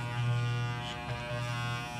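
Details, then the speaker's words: Wahl shaver after fitting new blades to replace chipped teeth and realigning them: steady, even motor buzz with no rattle, grinding or labouring; normal running. "Okay, let's give it a try. Sounds good."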